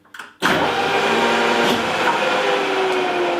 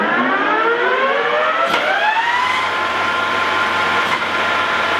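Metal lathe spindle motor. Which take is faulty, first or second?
first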